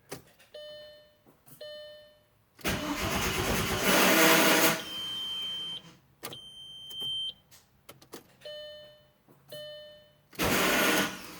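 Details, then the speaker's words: A6 after Fidanza flywheel install: short repeated clicks and brief starter whirring bursts with long gaps, engine never catches; a new starter was fitted but the problem persists; crank no-start, cause unknown. "So this is the problem I'm having after my Fidanza flywheel install. I thought it was my starter, so I bought a new one, just replaced that, and it's still doing the same thing."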